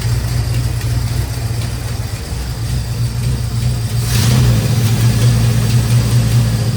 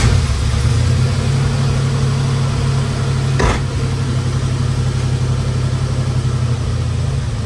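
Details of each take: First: 1972 Dodge Charger idling for the first time in 25 years, just after a new fuel pump was installed, without throttle. A fast, light ticking rides over an uneven rumble and later smooths out on its own. Owner suspects the valvetrain and may pull the valve covers; not confirmed. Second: 1972 Dodge Charger V8 after a fuel pump install, first running in 25 years, tach reading about 750: a low, steady burble with an even beat and no misses or knocks; running smooth. Normal idle.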